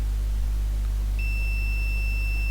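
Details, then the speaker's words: Asus A55V laptop (K55VD motherboard), completely dead, multimeter continuity test on a capacitor near the wireless LAN regulator: steady high beep over low mains hum; that line is shorted to ground, capacitor itself not necessarily faulty. "okay so this capacitor is on a line that is a short to ground it does not mean that the capacitor shorted that this side goes to the IC"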